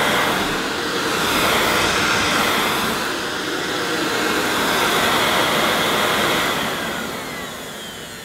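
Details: Hoover S2095 Quick Broom II mains-powered bagless stick vacuum, brand new, picking up mounds of dirt: steady high-pitched motor whir with airy rush that dips slightly as debris is drawn in; running normally under load.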